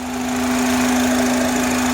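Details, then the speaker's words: 2005 Honda Accord EX coupe 4-cylinder at idle, engine bay recorded near the air filter box: a steady low hum, loudest at the filter box. It quiets with the hose removed but persists near the throttle body. IAC and PCV valves already replaced. Owner suspects a vacuum leak (unconfirmed). "it sounds louder from the filter box. If you remove the hose, the sound gets low, but it still sounds from around the throttle body."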